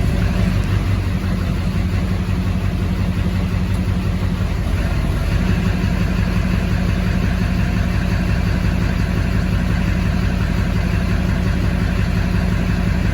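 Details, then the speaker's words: 2004.5 Duramax 6.6 LLY diesel with misfire and P1241 (PCM-to-FICM supply command), regulator mA showing sawtooth then flatline: deep idle with rhythmic uneven chop, about three pulses a second; rough idle, regulator or other cause unconfirmed. "So you can hear it chopping in the background there. So the question is it the regulator or are we dealing with another issue?"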